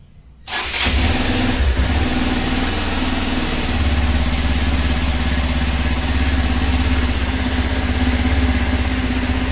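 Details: Hero XPulse 200 4V single-cylinder motorcycle started after sitting one month, engine and silencer fully cold: starter whirs briefly, catches at once, settles into steady, even idle with firm low thump; healthy cold start.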